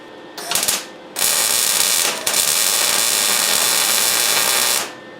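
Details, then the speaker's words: MIG welding test run on a custom steel front bumper for a 1968 GMC converted to 2500HD, 0.030 wire, amperage at Lincoln D setting, wire feed about 3: steady even crackling sizzle after a short burst; good setting. "That seems to be a good setting."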